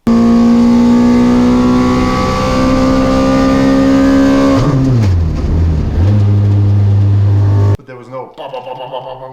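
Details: 2ZZ-swapped Toyota MR2 Spyder at a time attack race: engine screams at high revs, then the note breaks up and rpm collapses; connecting rod failed, fragments found in the oil.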